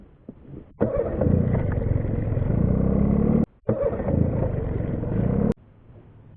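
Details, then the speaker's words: Outboard boat motor, restarted after sitting 2 minutes and catching within half a revolution: a steady low drone in two even runs with brief gaps, no misses or knocks. Normal smooth running; owner calls it very reliable. "This has been a very, very, very reliable motor. And this is the way it starts every single time."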